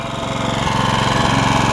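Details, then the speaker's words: Honda HR194 push mower after an ignition coil replacement for no spark: the single cylinder holds a smooth, even fast idle with no misses. Normal running, though throttle response is lazy from a stretched governor spring. "you hear how good it was the throttle's a little lazy but I'll show you why"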